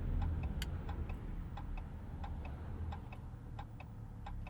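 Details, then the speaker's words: 2025 Ram 1500 RHO twin-turbo inline-6 truck while driving: crisp, even turn-signal ticks about four per second, likened to a galloping sound, over low road rumble; normal. "Turn signal kind of sounds like a galloping"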